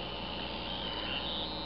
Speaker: Although the noise is rather unpleasant, but it will work.